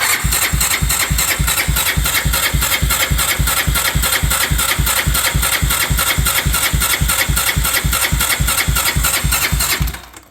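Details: 1987 Honda 350D motorcycle, sat about two years, new battery, fuel pump problem: starter cranks steadily about three and a half strokes per second for ten seconds, never fires; no fuel getting through.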